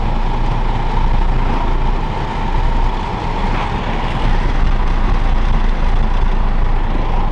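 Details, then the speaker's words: MK5 Toyota Supra, windows down at about 54 mph, before fitting Armaspeed Windblock side mirrors: steady rushing roar with low throbbing pulses inside the cabin, sound waves reverberating badly; wind buffeting, worst around 50–55 mph. "Hopefully that comes off on camera, just the sound waves reverberating really bad."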